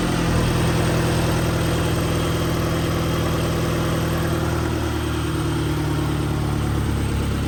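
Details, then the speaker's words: Turbocharged Honda Civic D-series engine after a Maxpeedingrods turbo kit install; loud, slightly uneven idle with a wavering low drone and hunting rhythm, running pretty rich; rough idle. "So, take it for a spin. The car is running pretty rich right now."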